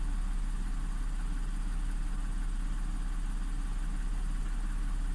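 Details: Audi S4 3.0T supercharged V6 after driveway bank 2 timing chain repair (P0016/P0018), no fault codes, both banks' cam adjustment now matching, not yet at temperature. Steady even idle, smooth low rumble without ticking or rattle; normal idle.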